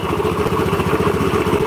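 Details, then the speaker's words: Black Honda Beat scooter (new conrod, original crankshaft) idling: rough, gritty rumble from the middle of the engine; crankshaft bearings very rough. "Oke ini fic mesin Tengah yang berbunyi untuk memastikan bahwa itu adalah mesin tengah ya caranya kayak gini jadi perangkat CVT kita lepas"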